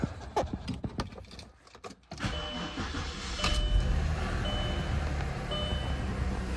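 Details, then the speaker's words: 2003 Audi A6 cold start after sitting about six months, jump-started with a booster box, old fuel; key clicks, short crank, fires and settles into a smooth, even idle with no obvious valvetrain ticking or smoke. "well that wasn't too bad golly she's running very smooth"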